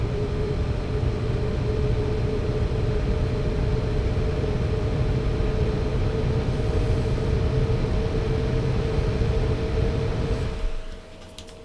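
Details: Elegoo Neptune 3 Pro 3D printer motherboard fan, new ball-bearing replacement for a noisy four-week-old sleeve-bearing fan: steady even whir with clean constant tone, no rattle or ticking until it cuts off; normal running.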